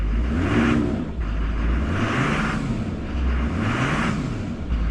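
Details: 2004 Duramax LLY diesel after CP3 pump replacement, previously a cranks-no-start with rail pressure around 200: steady, even clatter with a smooth drone and gentle rev changes; actual and desired fuel pressure now match, runs healthy.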